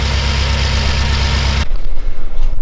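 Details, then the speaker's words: BMW M6 S63 twin-turbo V8 with random multiple-cylinder misfire and flashing check engine light: lumpy, shaking idle with a pulsing low thump before the engine stops; coil six has no control signal from the ECU, misfire later traced to fuel injectors. "Okay, and as you can see, we have control on one of the wires, but on the other we don't have none. And yes, the engine is shaking for sure."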